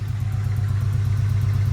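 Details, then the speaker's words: 996-bodied Porsche 911 with swapped Honda J35A4 V6, gauges and new cold air intake fitted, runs rich; steady idle with faint quick even ticking that sounds like valvetrain tick but stethoscope check confirms an exhaust leak. "In person and in the video, it sounds like it's got a tick, but it does not. It's an exhaust leak. I've already checked it with this stethoscope."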